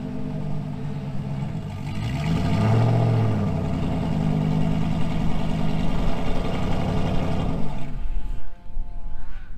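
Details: 2000 GMC Sierra 5.3 V8 with Texas Speed Stage 3 truck cam (.550/.550, 216/220, 112 LSA) on factory tune: revs, drops to lumpy loping idle, sags and dies about eight seconds in; stalls in gear unless revved. Owner's own tune fixes it.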